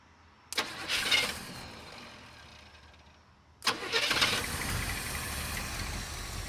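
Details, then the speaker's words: 1980 GMC K20 square body truck, sitting since about 2014, restarted after filling the carburetor bowl: first attempt fires and dies, second catches into a smooth, even idle with no knock or misfire; oil pressure pegged; normal idle. "So smooth. How's our oil pressure? Pegged. She sounds awesome. Holy cow."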